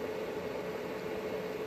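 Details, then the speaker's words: 1 kW 24 V solar inverter under repair for error 09, on load test at about 1.18–1.2 kW: cooling fans switch to second speed, steady even whoosh with a faint constant hum, no rattles or ticking; normal fan operation. "що в нас там по кіловольтамперах Ого другу швидкість вімкнули вентилятори кіло вже набрало і набирає більше кіло 18"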